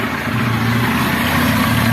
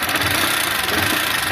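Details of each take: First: Motorcycle 160 that had an engine noise, after repair; steady even single-cylinder idle with smooth low thrum, no knocking or rattle, though leaking oil and being topped up: noise gone, normal idle. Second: 160cc motorcycle idling: steady idle with thin fine rattly hiss, no heavy knock; mechanic attributes thin noise to worn cylinder, possibly rollers, not connecting rod.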